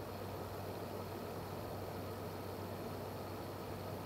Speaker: so I think this is a normal fan noise it's no ticking or clicking like mine